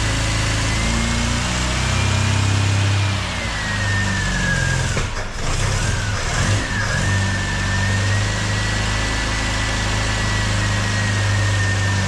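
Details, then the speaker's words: MGB engine's first run after a major overhaul with a newly fitted supercharger, no coolant, 40-second run: a shrill whine wavers over an uneven idle that dips and recovers. Rough running; owner thinks adjustment is needed. "so that's 40 seconds of running a bit difficult to start up but it went and I think I have some adjusting to do so that it sounds a little bit better than it did"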